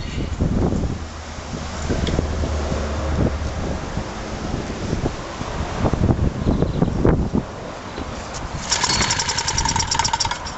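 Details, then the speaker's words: Honda G100 generator engine on the bench with two broken piston rings, a worn oil control ring, a badly scored bore and chunks out of the piston: weak, uneven chuffing with barely any bounce, running raggedly with heavy piston slap; next to no compression. "I'm next to no compression well look at that I wouldn't say there was compression there but she ran"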